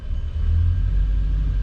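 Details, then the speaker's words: LS-swapped square body 3+3 V8, ECU learning at 165 degrees, no alternator, battery charger connected; low rumble swells as revs rise, then settles smooth with no misses or rattles. Normal revving and idle. "Yeah, it comes right down. It's still learning even on idle, so RPM starting to come back up."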